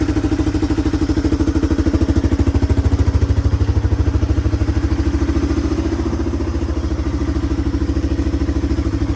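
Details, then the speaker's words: 1997 Yamaha Timberwolf 250 ATV, single cylinder, on its first ride; thumping with uneven, spitting firing and dips in level, sputtering a lot under load; owner suspects it is running rich and may swap a carburetor jet: sputtering under load. "Well, guys, after riding it, I don't know if you could tell, um, but it's spitting and sputtering a lot. It didn't sound great. Um, I think it's running a little rich."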